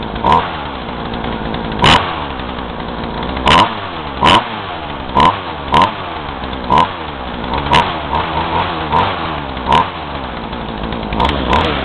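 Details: Craftsman two-stroke chainsaw, hot, no choke, running roughly 40:1 fuel mix, chain brake on, runs unevenly with sharp surges that fall back instead of holding revs; bogging, owner unsure whether carb screws need adjusting.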